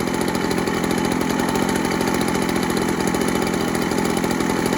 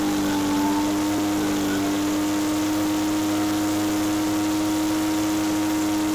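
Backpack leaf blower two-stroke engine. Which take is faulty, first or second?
second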